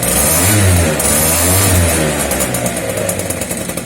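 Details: Two-stroke scooter after cutting open its Polini exhaust to remove a loose internal part that rattled like maracas, pipe refitted; crisp blips rising and falling with the throttle, no rattle or buzz: normal exhaust note after repair.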